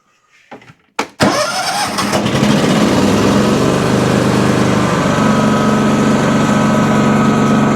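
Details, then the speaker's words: John Deere X300, pops and bogs under load; one plug lead pulled and held against the block: starts, then runs lumpy and uneven; a cylinder later tests zero spark; engine runs rough on one cylinder. "All right. So, it's showing us that something's going on with this cylinder."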